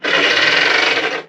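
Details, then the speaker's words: 20-year-old Webasto diesel heater in a 21-year-old caravan, first power-up after servicing and dust cleaning: harsh, scratchy rasp for about a second as the fan spins up, then it stops dead; fan thought caught on the guard. "Ooh. That did not sound right. It made a noise and stopped. Alright. Grant thinks the fan is caught on the guard."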